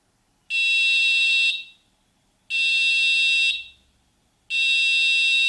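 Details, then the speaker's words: Netatmo smart smoke detector, 85-decibel alarm test run from the app with volume reduced for recording: loud shrill tone near 3 kHz in one-second bursts about every two seconds, steady and clean; siren working normally. "Voilà, comme vous pouvez entendre. Bon, là, le son est diminué, hein. Donc là, j'ai vu que ça fonctionnait bien."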